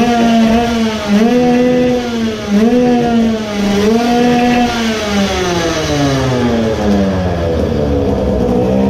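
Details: Modified 20 hp two-stroke moped engine with a low-power problem, carburetor suspected: thin scream wanders up and down at full throttle with a hollow, flat edge; running lean when wide open.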